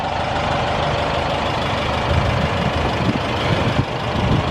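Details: 1973 Volkswagen Thing air-cooled engine after new plugs, wires, filters, exhaust and distributor: even, unbroken clatter with low exhaust burble at idle, no misfires or knocks. Normal idle.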